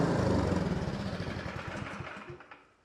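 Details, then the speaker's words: Two-stage snowblower engine that previously ran only on choke and surged and died in run position, after complete disassembly and reassembly; in full run position, steady even single-cylinder chugging, no surging, burning cleaner; normal running. "You can see I got it in the full run position, and it's not surging anymore."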